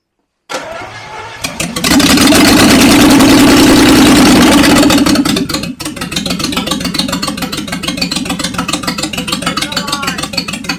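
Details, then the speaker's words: 1976 Jaguar XJ12 with newly installed V12, first start after priming fuel, no exhaust fitted: short crank, catches and revs loud and raw, then settles to an even idle with no weird noises; some smoke, probably oil in cylinders. "all right it runs doesn't make any weird noises"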